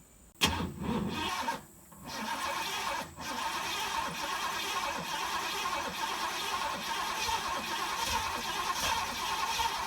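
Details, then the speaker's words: 1987 Corvette engine flooded, fuel flowing from the cylinders, cylinders blown out with compressed air and plugs refitted: sharp crank, stumble and dip, then a rough but steady run as it clears; it dies and floods again off throttle. "they're just full fuel it's flowing right out this thing is definitely flooded"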